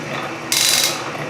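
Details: Refurbished Canedy-Otto drill press in power feed: fast, crisp metallic ratchet clicking in bursts as the hand wheel is spun ahead of the feed; normal power-feed ratchet action.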